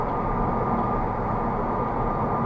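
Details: Honda Civic with low-profile Goodyear tires accelerating to highway speed: steady road hum with piercing high whine near 1 kHz growing louder with speed, lower road and wind noise reduced; tire whine.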